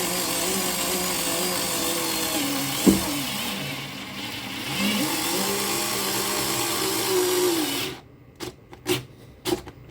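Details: Parkside PAS 4 D7 cordless screwdriver with a magnetic bit, driving a self-drilling screw into thick galvanized sheet: a steady motor whine dips and sags in pitch under heavy load, then stops with a few clicks. It copes, though not without struggle.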